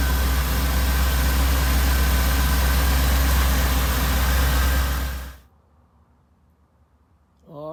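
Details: Supercharged Oldsmobile Cutlass V8 after cam swap and re-gasket with new seals: steady even idle with a deep low rumble and slight lope, about four pulses a second, then shuts off cleanly; runs healthy.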